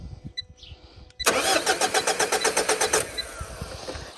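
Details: Mitsubishi Triton cranking with a non-programmed key: starter turns the engine over evenly at about four beats a second, but it never fires. The immobilizer blocks the start.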